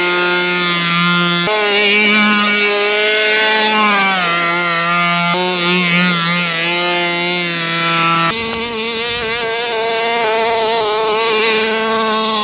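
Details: Rovan Baja 5B RC two-stroke, after earlier no-start and carb needles reset to factory (1 1/4, 1 1/2 high speed) with fresh fuel, holds a high buzzy note clean and even, rising and falling smoothly with throttle; running properly.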